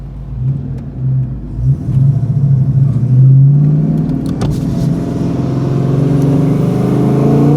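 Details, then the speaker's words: 1990 Ford Mustang Foxbody 5.0 V8 Notchback with Flowmasters and fresh fluids, accelerating on the highway; deep exhaust rumble climbs smoothly in pitch through the revs, with no misses or rattles, healthy. "There's that sound we all know and love. Smells like new parts too."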